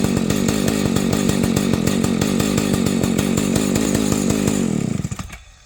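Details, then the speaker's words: Rebuilt vintage Husqvarna 285 chainsaw (replacement cases and cylinder): two-stroke starts easily and idles evenly, then falters and stalls within seconds, repeating after waiting; owner suspects an ignition problem. "It'll start easy, it pumps, it'll idle, and then it just stalls."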